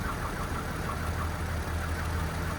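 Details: Nine-year-old Alloytec engine after a partial home rebuild, failed on a highway run: rough idle with a low, regular, deep knocking pulse under the engine note; scan tool reads only 28 kPa oil pressure. Bottom-end trouble suspected.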